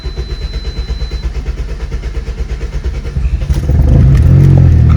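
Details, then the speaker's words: 2006-11 Honda Civic R18 engine after ringland failure repair, just started on a 99-degree day and warming up: even, steady idle pulse, then a clean rise in revs with no knocks or ticks; running normally. "Car's cranked up. Gonna head out. You guys hear that? Sounds just fine. It's warming up."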